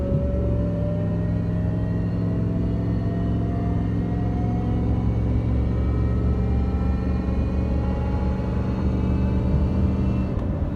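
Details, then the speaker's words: 2003 Dodge Ram 1500 rear differential: steady road rumble with a howl rising in pitch with speed from a worn, grooved pinion bearing; owner believes worn-out rear shocks loaded the gears and wore the bearing; fixed by differential rebuild and new shocks. "that's the sound that it's making because look at that it's grinding into that metal and you can see those grooves this is what we pulled out of the pinion bearing"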